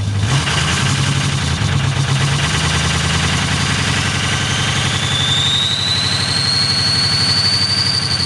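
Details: 6.0L diesel on a cold start with bad injectors: uneven clattering idle with a lumpy, irregular beat and a rising turbo whistle, then revved up more; rough cold idle from faulty injectors.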